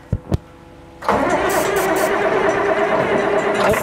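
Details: John Deere 544B wheel loader diesel, unstarted for 23 years, with batteries fitted and ether at hand: starter whirs steadily about three seconds with a rough cranking drone, then drops away; the engine never catches. Cause not stated.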